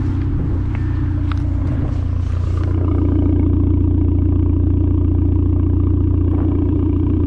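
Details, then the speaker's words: 2004-2007 B7 Audi A4 2.0 turbo, 107K miles, just after replacing spark plugs and coil packs for misfiring from a bad coil: after a few tool clatters, a deep, even idle hum with no stumble or shake; running smooth as it should. "That's how it's supposed to sound."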